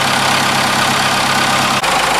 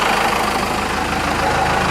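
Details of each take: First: 4BT Cummins diesel after idle adjustment with the fuel pin maxed out: steady diesel clatter at an even idle with no misses; a little shaking and vibration, running healthy. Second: 4BT Cummins diesel after an idle adjustment with the fuel pin maxed out: a low, steady idle clatter with a slight uneven shake and vibration, so the idle is still a little rough.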